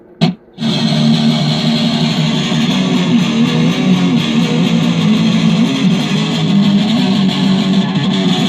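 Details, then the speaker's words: DigiTech Twin Tube GFX1 rack guitar preamp after the 12AT7 was swapped for a 12AX7 with settings unchanged: a sustained strummed chord comes through thick and heavily saturated with full crunchy drive, so the distortion is working normally. "Swapping in 12AX7, don't change the settings at all. And is it still a clean demon? No, it's definitely screaming now."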